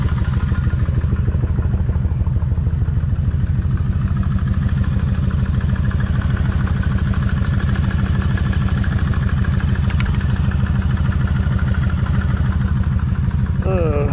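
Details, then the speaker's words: Warm idle on a Kawasaki Vulcan 1600 V-twin, helmet held close to the front cylinder's cam chain side: steady fast metallic clatter, about three ticks a second, over the low thump, noisier than the rear; loose front cam chain, adjuster needs resetting. "it's a lot noisier on this side than what it is over here so that tells me I need to pull all this off redo the same thing back that adjuster out"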